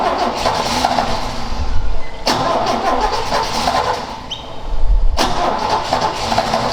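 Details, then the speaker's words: Ford XA Falcon long parked outside, choke not hooked up, float bowl refilled. Long spells of steady starter cranking with short pauses and no firing. Cause unconfirmed. "yeah I've never found these things great to start when they've been sitting for God knows how long"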